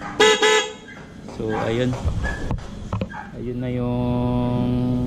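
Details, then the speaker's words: Dual horn (MOCC) after correct installation: both horn speakers now connected, positives joined, one negative direct to battery, the other to body ground. Earlier only one was fitted. Two short toots, then a long, full, loud two-tone blast; both horns working. "kumpletong kabit ng busina ng ano, MOCC dual horn. So ganun pala talaga tunog niya, no."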